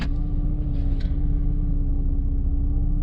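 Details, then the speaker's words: 2006 Jeep Liberty 3.7L after rough-idle repairs, warm, no A/C or cooling fan: put in gear, rpm barely drops to 600; low even rumble and steady hum, no misses or knocks; smooth idle, previously bounced 500–700. "so I believe that the idle rpm is set at 600 on these Jeep Liberty 3.7 and it's holding steady"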